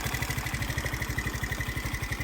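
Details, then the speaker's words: Crashed, abandoned Baotian BT49QT-7 scooter with a modified carb and air filter: the small single-cylinder engine chugs in an even, fast pulse only while the throttle is held and sags toward stalling when released, because not enough fuel is getting through. "it will just stop running eventually, because not enough fuel is getting there."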